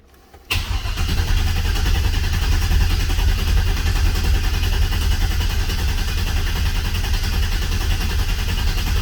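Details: Oldsmobile 442 V8 after rebuild (new cam, pushrods, oil pump, valve springs, heads, gaskets; Terminator X), cranked with injectors unplugged and no fuel pump to prime oil pressure, reaching 60 psi. Steady, deep starter churn, no firing.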